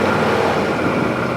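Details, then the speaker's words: 2017 Odes side-by-side, about 404.7 engine hours, just started: steady, even idle hum around 1600 rpm with no misses, knocks or surging; smooth idle, shifts into gear without issues. "Man, yeah, I could definitely tell now it's idling too. Pretty darn smooth. We are right around 1600."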